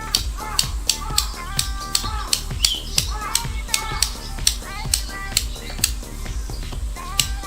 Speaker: it clicked 6 times. Next, TONE clicked 17 times .